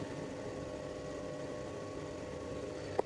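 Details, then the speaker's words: Hyundai Tucson A/C at about 86°F: quiet idle hum, then a sharp click as the compressor clutch engages; the faulty evaporator temperature sensor reads 28°, so the controller cycles the clutch on and off to prevent freezing; system also low on refrigerant. "It's not going to turn on the compressor clutch. And you can actually hear it. It's been kind of cycling on and off."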